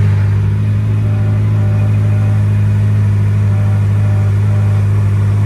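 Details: McLaren Speedtail, start after fuel pump priming: deep even engine drone holding steady with no knocks, misses or rattles; clean start settling into a smooth idle.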